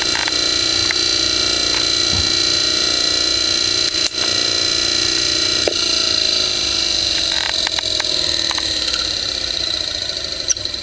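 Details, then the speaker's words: Vintage GE AC motor from about 1933–34, out of a window fan, newly fitted cord, starting up: steady high squeak from the start switch over an even motor hum as it spins up; motor runs well. "cookie sound was the with the switch this thing really kicks quite a bit already runs well"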